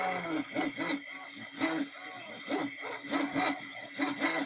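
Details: Anet A8 3D printer printing spool-axle parts gives a tonal stepper whine with uneven swishing bursts about once a second as the bed shuttles; the bed (plateau) bearings make the predominant noise.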